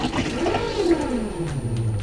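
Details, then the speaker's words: 2022 Axopar 28 Cabin fresh water system, pressure pump turned back on after refilling tank, sink tap open: wavering whirring hum sliding lower as pressure builds, water running; pump working normally. "once the water tank is filled you can turn the the pump back on you're going to hear if you're going to hear it run and run"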